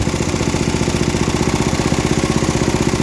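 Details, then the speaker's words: About 50-year-old MTD ride-on mower single-cylinder engine, burns oil: low, fairly even idle with slight surging while throttle shaft held; worn carb butterfly shaft leaks unmetered air both sides, causing hunting idle. "Pull out on the shaft a bit. That's unmetered air going through both sides of this butterfly shaft. Revs up."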